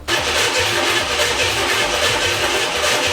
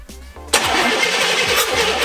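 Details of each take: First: CJ-7 Jeep with early LS swap (Vortec 5.7 350 V8), sat nearly 20 years, freshly rewired engine harness/ECU and new fuel system, good spark confirmed: steady starter churning, about four even compression beats a second, no firing; cranks but won't start, fuel suspected. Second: CJ-7 Jeep with Vortec 5.7 350 V8 swap, sat nearly 20 years, first start after engine harness rewire and new fuel system, full of oil: even cranking pulses for half a second, then catches and runs strong and steady; healthy cranking, good compression.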